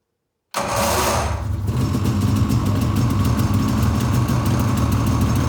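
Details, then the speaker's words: 2013 Polaris Rush 800 two-stroke, first start-up after rebuild: loud high whir for about a second, then a busy idle; starter drive sounds noisy, cause unconfirmed; blown head gaskets later found. "there you guys go it sounds like my starter drive is making a lot of noise"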